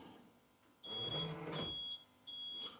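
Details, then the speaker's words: Rolls-Royce Silver Spirit III alarm, toggle set to the top position (setting two): three high beeps on locking confirm full alarm with ultrasonic interior sensors armed. "One, two, three. That's telling us that we've got full alarm now. So the ultrasonics are working as well."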